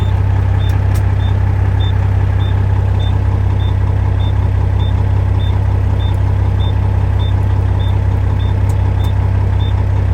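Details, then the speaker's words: International 9370 truck diesel just started after sitting, idling to charge the batteries; steady idle under a regular high beep about two and a half per second, warning buzzer sounding, cause unknown. "It's been sitting. Listen to that annoying beeper."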